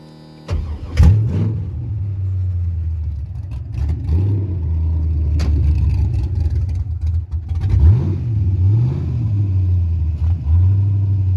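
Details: 5.3 LS swapped into a Mustang with a carburetor conversion and MSD ignition: it cranks and catches, then runs unevenly, sagging and surging as it struggles to stay running, then dies. Suspected carburetor, timing or vacuum leak, undetermined.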